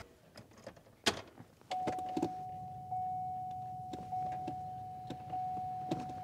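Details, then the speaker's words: Cheap Escalade (GMT900) ventilated seats after a cheap repair; the fans would not come on before. Clicks under the seat, then a thin steady even-pitched whir as the seat fans spin up; normal fan operation. "You should be able to hear the ventilated seats kind of whir up. Heard the click under the seat. They're working!"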